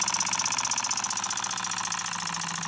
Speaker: nice little oscillating engine listen to that sound that's a beauty isn't it